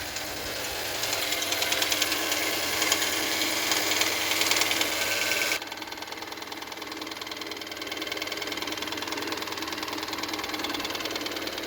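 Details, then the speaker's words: VW 1.4 TSI CHPA, oil level normal, cam cover off showing cam phaser bolts tight and dry, driven 800 km with noise: fast even light top-end ticking knock at idle, loud then easing; source unclear, hydraulic lifters preliminarily suspected. "Буду пробовать заводить, не знаю. Сразу слышно, как идет стук."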